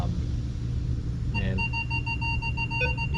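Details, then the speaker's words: Minelab Vanquish 540 metal detector in jewelry mode, coil passed over an 18-karat gold ring: steady low rumble, then a short steady high target tone repeating; clean target signal. "hear it brings out a pretty nice pretty nice tone and with a regular clad nickel and you can hear what the tone that we're looking for on that one"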